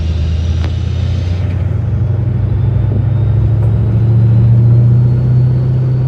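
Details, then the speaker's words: 1956 Ford F-100 V8 with Powerdyne centrifugal belt-drive supercharger, after replacing its internal drive belt, cruising through town on a test drive: deep rumble with steady faint whistle; normal, healthy supercharger whine. "Sounds good. Lots of whistling."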